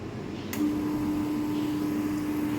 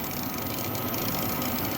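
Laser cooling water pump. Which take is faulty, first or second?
second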